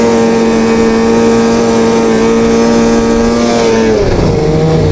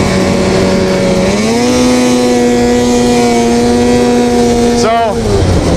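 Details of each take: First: Two-stroke snowmobile after cleaning dirty power valves that caused high-rpm bogging: crisp high scream holding steady pitch at full revs, then easing off smoothly with no stumble; running clean and healthy. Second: Warm two-stroke snowmobile before repair, at high speed: revs climb to a flat drone that won't pull higher, then fall away; boggy, almost like running on one cylinder; power valves fouled with carbon, fixed by cleaning them.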